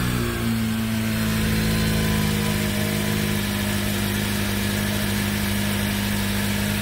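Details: Dodge Caliber with power loss and stalling, after fuel pump supply fault (pump had 0 V, TIPM suspected) was addressed, engine started: smooth, even idle with steady low drone, no misses or knocks; normal idle.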